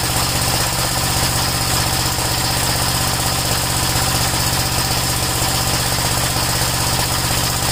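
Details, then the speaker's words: Gravely single-cylinder tractor idling after the kill switch was sorted out: even, low thumping at about 2.5 beats a second, no knocks or stumbles; normal idle. "That started up pretty good, considering I put the kill switch on."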